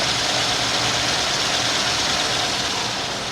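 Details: 1949 Meteor survivor, 37,000 original miles, six-volt, in neutral right after being started: even, steady idle with no misses, knocks or ticking over the exhaust hiss, though it runs differently than when it was bought.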